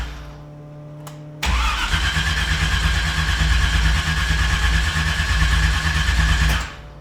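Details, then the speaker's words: RX-7 swapped to a carbureted small-block Chevy V8 (375 hp), cranking on a borrowed battery plus booster pack with no throttle: steady starter churning with weak burbles that never catch; spark likely present but plugs badly fouled, possibly from an oversized carb and no tune. "I mean, it's burbling. I would assume it has spark. These plugs are annihilated. Fouled."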